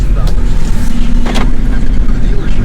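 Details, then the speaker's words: BMW E60 528xi (Copart car) road test after hub bearing replacement; steady low road rumble with only rusty brakes heard, no growl or hum building with speed, earlier horrible sound gone so it was the bad bearing; normal wheel bearings. "now I can only hear the rusty brakes okay so [Music] it was the bad bearing it was the bad bearing because right now it doesn't produce those horrible sounds anymore"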